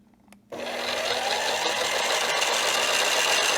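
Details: Kitchen Center outdoor blender power base, after a blown circuit-board fuse was replaced with a soldered-in external holder and a 10 A mini fuse: a click, then the motor spins up to a steady high hum with no rattles or grinding; it runs healthy.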